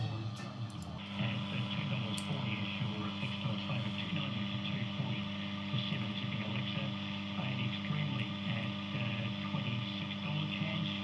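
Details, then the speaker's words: Healing 400J clock radio after capacitor replacement and a resistor swap, still needing alignment: steady low hum under faint programme sound; heavy mains hum in output, cause not found, owner wonders if the clock is involved. "That sounds really rubbish. There's so much hum on it."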